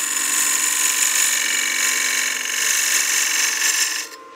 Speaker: I'm pushing just a little bit too hard you can hear that that